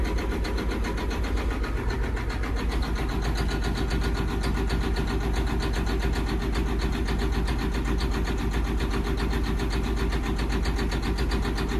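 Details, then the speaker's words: John Deere 9530 tractor, 13.5 L diesel with fuel pressure fault code, at low idle: heavy, uneven clattering with a loping knock and unusually heavy smoke; smooths out at 1350 rpm when pilot injection stops, runs well at high idle; cause not yet found. "Golly, that's awful. Man, this thing sounds terrible."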